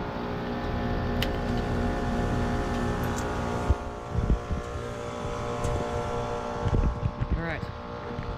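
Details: 2005 Carrier 38BYC 4-ton heat pump starting in heat mode, outdoor unit iced up, 24°F with about 70% humidity: compressor comes up to speed with a smooth, steady hum, no knocking or rattling; healthy startup.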